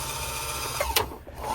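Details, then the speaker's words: Bernette B65 sewing machine bobbin winder after being cleaned and sprayed with WD-40: steady, even motor whir with one brief light clack and no grinding. It runs normally now, where before it made a loud noise when engaged. "I clean it now it's working fine you see it was making that crazy noise before you see"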